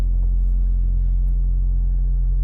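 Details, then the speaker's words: 2008 Honda Civic Hybrid at idle during warm-up: steady low buzzing hum and vibration resonating into the cabin, stronger in reverse, with substantial engine movement; worn top engine mount suspected and replaced. "um you can totally hear it it's more prominent and i don't know if you guys can hear that it has more of that buzzing sound"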